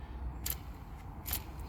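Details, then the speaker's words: Mazda 6 clutch release (thrust) bearing, gearbox removed, spun by hand: two short scratchy, raspy bursts; bearing is getting dry, should be quiet, needs replacing before the gearbox goes back in. "needs changed it's getting it's getting dry i would not put this gearbox back you know with that um with that release bearing"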